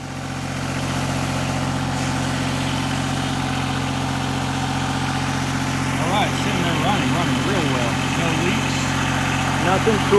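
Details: 1988 Yanmar 336D diesel tractor, sat outside six years, fuel, oil, air filter and coolant checked, throttle at three quarters: steady, even beat at raised idle, no misses or knocks, light chirping over it; normal healthy idle.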